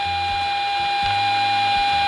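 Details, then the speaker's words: Repaired Scuola Radio Elettra SRE 412 modulated oscillator on medium waves with internal modulation, output near radio antenna at the tuned frequency: clean steady whistle near 800 Hz over faint low hum from the radio; modulated signal working. "we should hear a whistle coming from the radio. Something can be heard."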